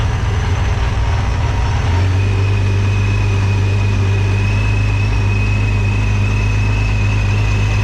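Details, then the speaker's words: Nissan 370Z with a newly installed Soho supercharger kit: deep steady idle rumble with a thin constant high blower whine, which is present regardless; normal supercharged idle. "I can still hear the uh yeah I can hear the blow I forgot it does that regardless"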